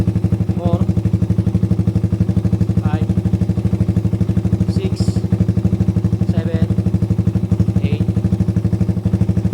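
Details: Suzuki Raider 150 after installing a budget racing CDI with 9 mappings, tested on map 1; single-cylinder runs with steady even beat, no stumbles or cutting out: normal running.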